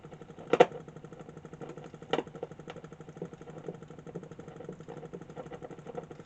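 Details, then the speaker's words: 1947 Invicta 200 valve superhet radio: steady low putt-putt pulsing, about seven or eight beats a second, that persists with the volume turned down; motorboating, continuing even after the grid capacitor was replaced. "now at this point if you take the volume down like that it's still there it's still doing it so whatever it is is still doing it"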